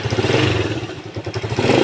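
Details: Motorcycle engine (carburetor cleaned earlier) now pulses steadily and picks up cleanly on the throttle with no sputter or stalling, after replacing the spark plug; previously it sputtered and died when the throttle was squeezed, fixed by new plug.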